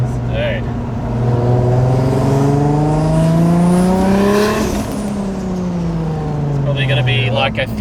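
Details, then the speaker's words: Toyota 1JZ single-turbo conversion, first test drive, untuned, left-foot braking: engine note climbs smoothly with a rising turbo whistle, then eases back; the turbo builds boost cleanly. "Oh, a lot of good turbo noises now. Very good. God damn. Now I'll just do a little like left foot brakey so you guys can hear the spools."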